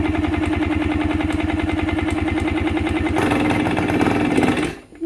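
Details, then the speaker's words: Yamaha 125 enduro two-stroke, previously suspected oil-fouling plugs and dying, now with fresh spark plug and fresh gas, oil primed: rapid even popping picks up on a little choke around three seconds, then cuts out; engine catching and running normally. "Oh, we got something. Give her a little chokeage. It's alive. Amazing what a little fresh gas and fresh spark plug can do."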